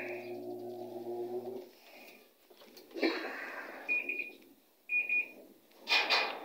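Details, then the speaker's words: Panasonic 8 kg top-load automatic washer, repaired for water draining out continuously while filling: short high beeps about once a second during spin because the lid is open; sounds only, no error code shown. "yan, kapag naka-open yung pinto, nag-error siya. Tumutunog lang, pero wala siyang error code. Tunog lang."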